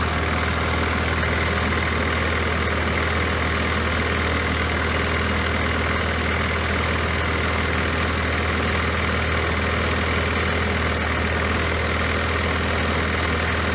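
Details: Poulan Pro mower that had been sitting, after refitting the forgotten throttle spring: steady even drone at constant speed, no surging or hunting; running as it should.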